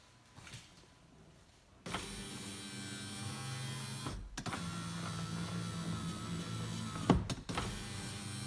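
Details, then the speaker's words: 2017 Jeep Wrangler 4-door rear passenger power window after lock actuator replacement and re-clipping the glass into its track: a clean, steady whir running smoothly with no grinding or binding, so the window works properly. "Yep, looks like it's functional again in the track. And one more test you want to do is just kind of give it a little pull."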